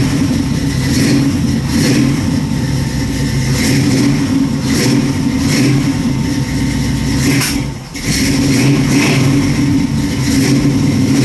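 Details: Chevy Nova V8 cold start after replacing fuel line, choke not yet bolted up: catches and runs, then repeated revs with a brief dip before recovering; cold but healthy.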